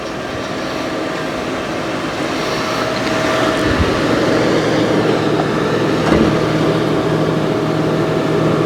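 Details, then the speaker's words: Police interceptor at a Copart auction with 69,000 miles, recorded at the open hood. Steady, even idle with a faint constant hum, no knocks, squeal or belt chatter. The belt is not vibrating and the pulley looks good; normal idle. "The engine does look a little dirty, I'm not gonna lie, but the belt's not really vibrating. That pulley looks good."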